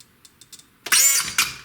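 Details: 1/10 scale two-wheel-drive R/C car being set up with cover off, clutch warming: quiet tick then a sharp high whirring burst on full throttle; the slipper clutch is slipping, still set too loose, tightened by eighth turns.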